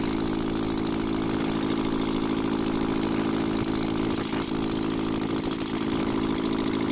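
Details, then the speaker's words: Ashok Leyland Captain 4923 BS4 truck diesel after reconnecting the coupler wires: even steady idle with smooth chug, no knocking or surging; diesel from rear cylinder stopped. "चलिए अभी हम start कर दिए engine को और देखिए आगे sound किस तरह नॉर्मल पोजीशन पर अपने आ गया"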